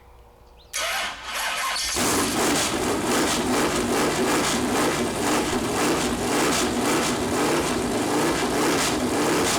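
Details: Freshly built Chevy Performance 454 big-block on engine run-in stand, first start: brief crank, catches cleanly, settles into steady even run with no misses; oil later seen from plastic oil-gauge line that hit the headers; normal engine start.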